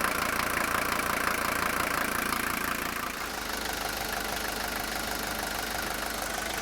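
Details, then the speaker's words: 1982 Mercedes W123 240D four-cylinder diesel at idle: even, regular clatter with no loud injector knock or uneven beats; smooth, healthy engine. "Here you'll get to just listen to this 240D idle, and you can see how smooth it idles."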